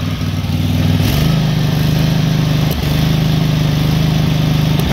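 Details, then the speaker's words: SCAG SWZT 52" mower twin after an aftermarket carburetor replacement: runs a little better, chugging at a steady idle with sharp pops every few seconds; lean backfiring. Owner suspects fuel starvation and plans a new fuel pump. "backfires a little bit so it kind of seems like it's being starved for fuel so i'm gonna try and put a new fuel pump on it"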